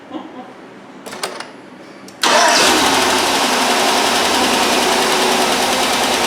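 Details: 2005 Chevrolet Tahoe, crank-no-start after power steering pump job and long sitting, ground strap checked: engine catches at once and settles into a steady, even idle, no misses, a little blue smoke; starts and runs fine.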